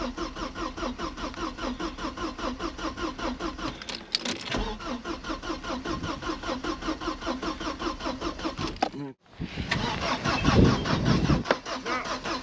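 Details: Vauxhall Cavalier 2.0 16V Ecotec X20XEV, with standard ECU fitted, new fuel pump relay, still immobilised: steady starter cranking about two and a half pulses a second, never catches; turns over but no spark.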